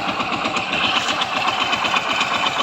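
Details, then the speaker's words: Yamaha Mio Soul i 125 scooter idling; fast hard metallic rapping keeps time with the engine; worn connecting rod, not the pulley, back plate or rollers. "Sira po niyan ay connecting rod mga kaibigan. Okay? Hindi po panggilid or pulley back plate bola an pag ganyan ang ingay mga kaibigan. Connecting rod na yan."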